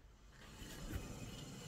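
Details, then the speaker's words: Renault Vel Satis rear wheel turning: low, rough rumbling growl from a worn wheel bearing integrated into poor-quality rear brake disc, before disc and pad replacement. "là on a donc qui ce bruit de roulement"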